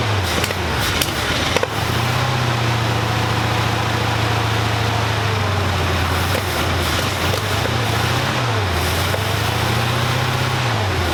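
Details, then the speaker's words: Rebuilt 1965 Mustang V8 just timed with a timing gun, known vacuum issue, moving under its own power: revs hunt, sag and surge, will not hold idle but runs; cause unknown. "well guys it is moving kind of it will not idle but it will run"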